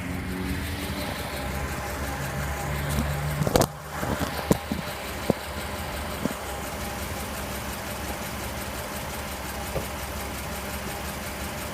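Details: 3.8 V6 petrol engine in a 2009 Jeep Wrangler JK rattles or knocks at idle and under acceleration: faint ticking rattle at idle that carries on as it revs up loudly; owner asks if this is normal.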